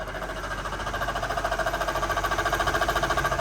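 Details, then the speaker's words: Mercedes SL500 with Active Body Control hydraulic suspension: loud, rhythmic knocking about 3.5 beats per second over the running engine from the internally failed ABC pump, possibly shedding metal shavings into the closed system. "Active Body Control this controls the hydraulic fluid suspension the pump itself has failed now some owners in this condition or in this predicament will simply replace the ABC pump"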